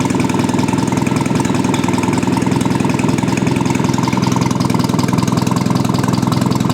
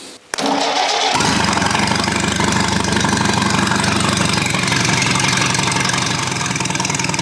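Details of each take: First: Old engine's run after correcting firing order, carburettor and ignition timing; recorded next to the exhaust with no muffler; even steady exhaust pulses, no misses or knocks, runs smoothly; normal idle. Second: Old Rusty engine, cold start at about 2°C on choke after firing order was corrected to 1-3-4-2; it catches at once but idles rough and lumpy with an irregular beat from retarded ignition timing.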